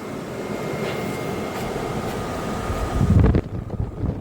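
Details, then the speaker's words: 1987–1995 Jeep YJ heater box after rebuild with new blower motor and new heater core, bench-tested on jumper wires: even airy whir, no bearing growl or grinding; much quieter than the old, noisy-bearing motor. "Now listen to that. Sounds a lot quieter than it used to. The bearings were really noisy in there."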